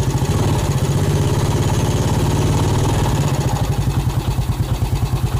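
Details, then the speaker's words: Yamaha Vega ZR after piston and camshaft modification, valve guide replaced, engine warm: lumpy single-cylinder idle with light loose glak-glak rattle at clutch housing, suspected worn clutch rubbers; rattle at idle, cause not confirmed. "Ada sedikit suara glak-glak di area rumah kopling. Kayaknya ini karet koplingnya sudah oblak, tapi mesin sudah panas karena ada sisa oli di dalam knalpot."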